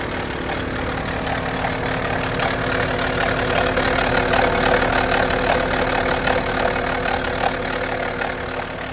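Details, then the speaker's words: BMW N57 six-cylinder diesel, 98,000 miles, cold start at idle: busy metallic clatter echoing through the top of the cylinder head from a worn timing chain at the rear of the engine with a lot of play. "The BMW 4 cylinder tends to make more of a rattling noise with the chain. The six cylinder tends to make this noise. It echoes through the top of the cylinder head."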